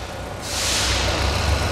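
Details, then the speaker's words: Jeep Renegade engine in for water pump replacement over a cooling system leak, helper working the throttle: a steady, even low rumble with no knocks or ticks and a smooth rush of air. The engine is running cleanly. "bem moçada vamos escutar a melodia vamos escutar essa Melodia do jipe do motor do jip peg o motor R torque né"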